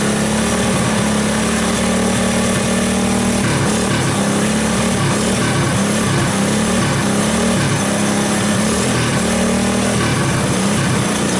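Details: 1984 Honda ATC 200S single-cylinder ATV after long storage, started with starting fluid through the choke: buzzy drone with a wavering pitch that keeps dipping and recovering; rough running, cause unknown.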